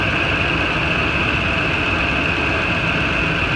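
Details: 2008 Ford F-250 just after replacing a bad serpentine belt tensioner whose pulley ground, after the belt had been squeaking: even engine drone with no growl from the belt side. The accessory drive runs fine.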